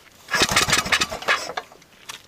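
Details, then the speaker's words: Murray mower, after swallowing water and being cleaned out several times: it spins over in a quick chuffing rhythm but never fires. The owners suspect the timing, a head gasket, or piston rings. "it's not even trying the fire and we're pretty good with engines and we're sort of befuddled right now"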